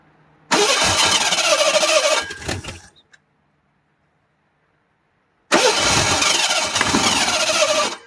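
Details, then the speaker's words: 1985 Ford Bronco II 2.8L with fire-burnt wiring and Duraspark conversion, no timing tab, timing advanced further; two cranking bursts with ragged sputtering never catching, more advance made it worse, owner turns to timing light. "oh it's okay more that's definitely not helping I mean we're getting close here people"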